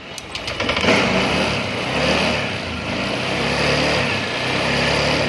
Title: click v1 hard start at palyado